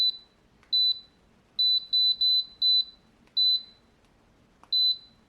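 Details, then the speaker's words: TEVO 2 kW infrared heater SNBHTR after repair, reassembled with element connected: crisp single high beeps per button press, no error tone; controls respond normally, heat levels working. "woohoo no error we're on zero if I push the four Z so I'm not sure what that means level"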